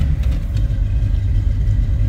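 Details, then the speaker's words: 1979 Chevrolet Malibu Coupe with a 383 stroker V8, odometer reading 47,289, idling just after a cold start: deep, choppy idle with a lumpy lope from the cam, otherwise steady and even. Oil pressure looks good, and it's a healthy normal idle. "Hear this thing idle. Definitely a little cam to her."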